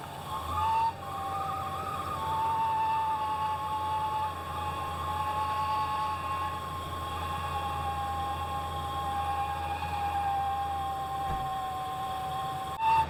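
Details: 1991 Ford Ranger 4.0 V6 at idle: steady high-pitched scream that wavers slightly, getting louder over time; owner first suspected the alternator, but it is the power steering pump whining, later replaced.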